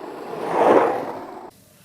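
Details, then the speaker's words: Longboard bearings spinning: soft smooth whir swelling and fading over about a second with no grinding or rattle; good, free-spinning bearings. "sound energy is important in longboarding because the louder your bearings are the more energy is being converted to sound energy this causes less K kinetic energy to be present good bearing sound like"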